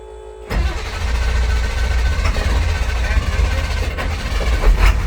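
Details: 2000 International 4700 automatic truck with electrical faults, after jumpering a lost ground so the ECM powers up: quiet, then the engine catches in half a second and settles into a steady, even low idle rumble; healthy start.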